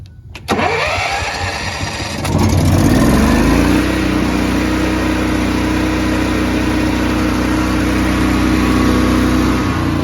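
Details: Honda EB 11000 generator on a 20 lb propane tank, after fixing a flow-restricting connector: brief cranking, then catches and climbs quickly to a steady, even governed speed; clean start and smooth running.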